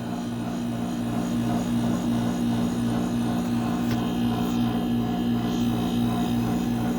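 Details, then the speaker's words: Mini split after replacing the faulty capacitor: compressor runs with an even, steady low hum, no knocks or rattles; pipes turn icy and sweat, fan normal; correct running sound. "Bueno, aquí ya reemplazamos. Más o menos ese es el sonido que debe de tener."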